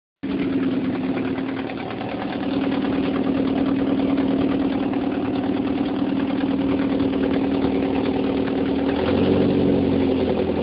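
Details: 1978 Porsche 924 naturally aspirated, stock Audi 2.0L (1983 cc) inline-four with K-Jetronic injection, at idle: a fast, slightly uneven puffing tick over a droning hum. Octane was ruled out because booster made no difference. The owner suspects an exhaust leak from a broken bolt at the manifold-to-cat pipe.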